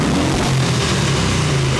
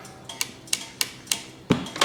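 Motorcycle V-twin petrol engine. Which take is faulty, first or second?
second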